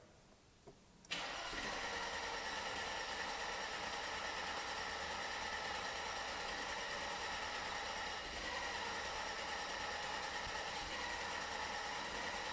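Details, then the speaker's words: Mercedes-Benz W124 300CE Turbo with M103 engine, after timing chain, MLS head gasket, water pump, tensioner and serpentine belt replacement; lower compression, air-fuel mixture adjusted. Starter catches, then a steady, smooth idle with no misses or knocks: normal start and idle. "And what do you know about that? Basically seamless startup."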